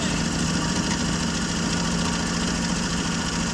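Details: 1965 Jeep Wagoneer, original 3.8 L 230 cu in overhead-cam six, first start after 20 years of sitting, running after being flooded with too much gas: even, continuous idle with a steady low hum and no stumbles.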